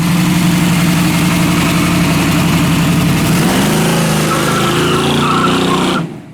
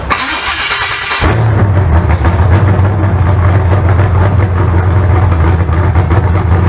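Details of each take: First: Old 406 small-block Chevy from a four-door Chevelle, carburetor and timing previously tuned; loud uneven idle with a tapping knock about four times a second, a noise that kept recurring; camshaft found moving 40–60 thousandths of an inch, excessive cam end play. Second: Freshly built 388 small-block Chevy (heads and intake from the owner's 406, crew-cab Chevelle), started via button and ignition switch: short starter whir, fires and holds a deep, steady idle with an even lope. Normal start.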